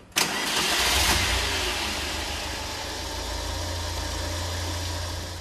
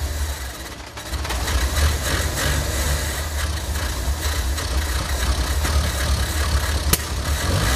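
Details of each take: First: Engine left standing over two years, after carburetor cleaning to remove gum: starts straight away and settles into a steady, even idle with no misses or hunting; normal idle. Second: Engine sat over two years unused, before carburetor cleaning: idles unevenly, surging and sagging, stumbling and choking as if fuel-starved; gummed carburetor, to be cleaned with fuel-line and spray cleaner products.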